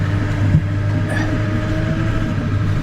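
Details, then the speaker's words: 1999 Ford F350 7.3L PowerStroke diesel, driving on the road: faint steady whine over diesel and road rumble, some front-end clunking; power steering still whining though improved, steering doesn't return to center. "a little bit of clunking from the front end your steering is is much better than it was but it's still whining"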